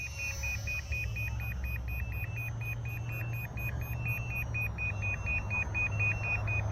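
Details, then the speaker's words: Volantex P-51D Mustang RC plane with single-cell battery: steady high double beeps about twice a second over a low hum, its onboard low-voltage cutoff warning that the battery is depleted. "The plane's actually beeping. Listen to this. It's got its own LVC warning beeper as well."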